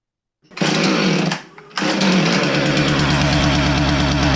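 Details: Husqvarna 450 chainsaw catches, stumbles and nearly dies, then runs rough and uneven, missing and bogging on throttle; erratic spark tester reading, ignition module to be replaced, carb or coil suspected.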